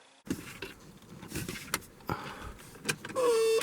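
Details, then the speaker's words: 1979 or 1980 Mercedes-Benz 300 SD scrapyard diesel, key on before first start: after handling clatter, a harsh, raspy half-second buzz from the door warning buzzer, which works. "Oh, that is a very awful sounding buzzer."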